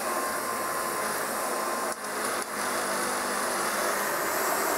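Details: Kirby 560 vacuum running after a new lexan fan replaced a long-broken one: steady high-pitched whir with a dry, rough hiss and slight rattle from bad motor bearings; brushroll also noisy and due for replacement.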